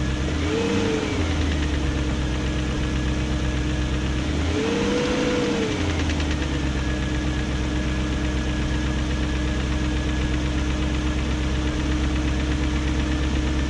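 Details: 2001 BMW E38 740i V8 idling after new timing chain, guides, tensioner and VANOS profile gaskets: faint fast tick throughout, two short throttle blips; no codes, idle good; owner suspects VANOS unit, cause unconfirmed.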